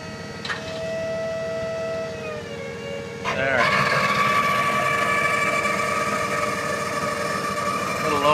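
A steady pump whine sags in pitch as the bed nears full lift, then climbs and holds strained, suggesting the pump is labouring. Cause suspected, not confirmed.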